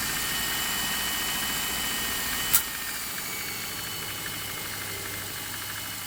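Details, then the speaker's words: Subaru boxer at cold idle after replacing worn original spark plugs (0.060+ gap, loose in head): light, steady ticking knock, three or four beats a second; owner suspects piston slap, gone after 10–15 miles of driving. Light knock at idle. "That little knocking does completely disappear after about 15 miles of driving. As far as I can determine, it is piston slapped."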